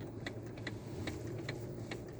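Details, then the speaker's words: 2019 Jeep Compass diesel at steady idle, car parked: sharp, uneven clicks knocking from inside the electric steering column, caused by a worn column bushing and a loose bearing; the fix is replacing the complete column assembly. "vá uma bucha lá dentro dela certo e além da bucha tem um rolamento Que folga também muita gente quando tá com esse barulho"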